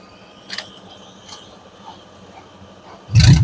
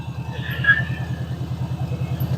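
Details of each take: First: 1988 Subaru Loyale, saved from scrap, first start out of gear: a few quiet seconds, then engine catches at once and settles into a steady, even idle; starts easily. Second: 1988 Subaru Loyale saved from scrap, first start, started easily: quick, even pulsing idle with a loud, throaty low rumble, runs smoothly but noisier than it should; loud engine running, cause undetermined.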